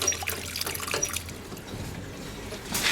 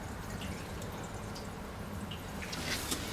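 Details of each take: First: Water supply line, newly soldered fitting possibly overheated, valve cracked open under pressure: wet hiss and trickle of escaping water; leak at the fitting, a tap was also left open. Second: Water system after replacing a short pipe heated on with a torch, valve cracked open: steady rushing hiss of water filling the tanks with light trickles, no banging; a leak was noticed as it filled.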